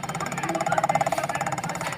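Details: Electric scooter hub motor while the wheel spins: rough, pulsing buzz repeating many times a second; testing shows no signal on the yellow wire, so a Hall sensor is faulty.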